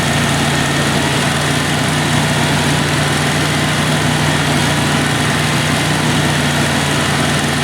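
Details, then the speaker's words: 1996 Dodge Dakota 3.9L V6 after installing a new fan clutch to replace a locked-up one: even idle with a soft fan rush that eases as the clutch slips, about 83°F air temp; fan clutch working normally. "We're ready for the road test, but we heard that fan clearly kick off, and as you can see, the air temp's about 83 degrees coming through. It should slip."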